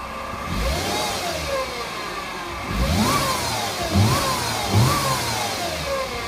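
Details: 2008 Mercedes-Benz C300 V6, stock exhaust, cold start and revving: a clear whistling whine climbs and falls in pitch with each throttle blip; a failing alternator, and replacing the alternator cured the noise.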